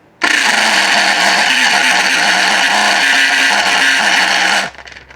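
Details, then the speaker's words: Washing machine noisy in the spin cycle: drain pump with play in its shaft bearing gives a loud, rough whirring with a wavering tone for about four seconds, then stops; a good pump turns firmly and silently. "ó e essa folga que tá ocasionando o barulho todo nela quer"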